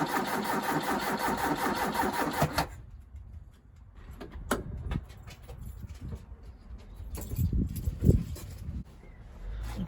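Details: Ford Capri on a voltage-drop test of the starter circuit, meter across the S terminal: brief, sluggish cranking with a dragging, uneven rhythm, then only clicks. Slow laboured cranking; owner suspects a weak battery, not confirmed.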